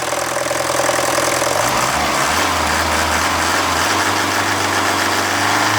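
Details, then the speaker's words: Mercedes OM601 diesel, warm idle, oil pressure 0.5 bar: a loose metallic rattle about three a second. A failed head gasket bleeds off oil feed to the timing chain tensioner, so the slack chain rattles into the injection pump. It is absent when cold. "Когда двигатель холодный и масло густое, такого звука нет. Как только он прогреется, появится звук."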